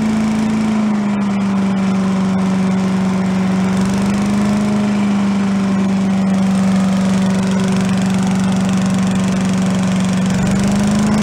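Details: Yard-sale commercial walk-behind leaf blower, small two-stroke, bought not running with suspected carburetor problems, now run on the ground after repair to check smoke: steady, even drone holding one speed, no stumbles or surging; normal running.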